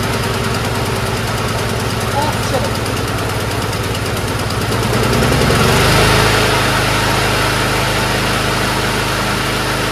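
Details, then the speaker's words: Powersmart lawnmower with a Loncin engine: a steady, even putter at about 220 beats a minute that settles to a firm run with no misses or surging. It starts and runs properly. "it starts right up sounds good doesn't surge"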